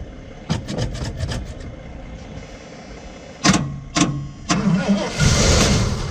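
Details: Cold-weather crank on a salvage-auction vehicle with a corroded, weak battery: short cranking bursts separated by pauses, then a longer crank with hiss, and no sign of firing. Fuel gauge reads fuel. Cause suspected, not confirmed.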